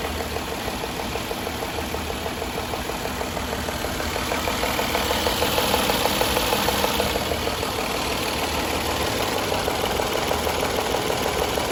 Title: 2014 Jaguar XJL Portfolio Ticking Sound